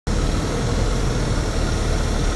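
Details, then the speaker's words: 2007 Nova Bus LFS (STM Montreal, Cummins engine), heard from inside seated beside the engine on the left side; smooth even low diesel drone with steady beat, no knocks or rattles; normal idle. "just so you can hear that natural engine sound pretty good by the way your engine's right here beside where we're sitting on the left"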